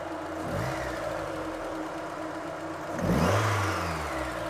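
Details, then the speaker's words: Mazda Miata after idle adjustment: steady idle around 850 rpm, quick throttle blip rises sharply then revs fall cleanly back to a smooth steady idle; normal idle after rev. "and it should come back down to 850 pretty easily and it seems like it does I think we're in good shape"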